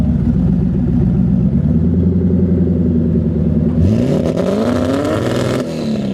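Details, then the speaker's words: Turbocharged car after injector replacement, not yet retuned on dyno, following a cracked turbo manifold repair for boost loss: engine drones then revs climb unevenly with ragged stumbling under load, breaking up worse and smelling rich; suspected tune issue. "So he's still having the problem with it breaking up. It's probably a tune issue as of right now. Just a tune? It's breaking up worse."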